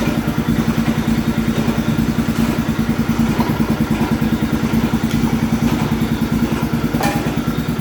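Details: MTD tractor with a swapped-in engine, starter jumped, driving off: a rough, regular chatter about three times a second over the small engine. It started poorly, then improved; a stuck idler pulley underneath causes the chatter.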